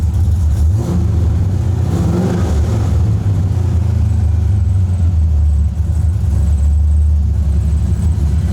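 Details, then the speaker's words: FC RX7 with a new engine setup, first start, at 50 psi oil pressure, running better after a voltage issue was fixed. A deep, even rumble climbs through a quick blip and settles back without stumbling. It is not misfiring and runs well. "oh hell yeah she's running minute now sweet look it's a problem off the checklist but it's not misfiring cool all right well that thing's running good now"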